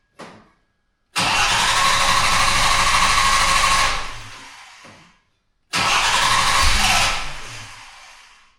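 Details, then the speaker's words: Jaguar XJ6 with HS8 carbs cranks with two long bursts of steady starter churning but never catches; crank no start, cause unknown after usual checks, owner plans to recheck timing and firing order. "But it just isn't firing. And I'll show you exactly what I mean."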